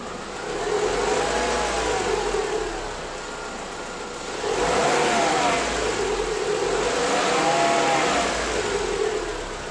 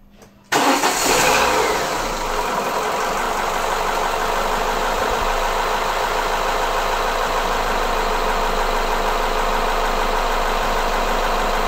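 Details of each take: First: Renault 16/24-valve petrol engine, very hot, 15,000 km after timing set change with new original Aisin camshaft dephaser pulley: even hot idle, only normal light injector ticking, no rattle or clatter. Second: Renault Laguna 16/24-valve petrol engine idling hot with a hard, diesel-like clatter from the timing end, where the worn variable cam phaser (dephaser pulley) sits; early on it appears only with very hot oil.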